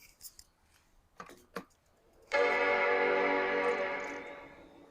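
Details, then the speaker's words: 1995 Macintosh 5300/100 LC, battery disconnected, boot meant to be from the hard drive: a few soft clicks, then a bright sustained chord fading over two seconds; normal startup chime as the hard drive seems to spool up. "such a lovely little chime isn't it so it sounds like the hard drive is spooled up but I don't know if it's going to do it from a hard drive or from the CD-ROM"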